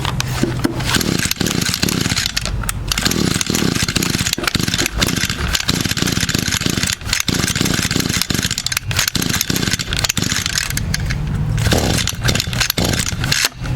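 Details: Echo GT200 trimmer, unstarted for 2–3 years after the carburetor went bad, with a new carburetor fitted, primed and choked: repeated raspy pull-cord rattles with short sputters that never catch; still won't start, cause unknown.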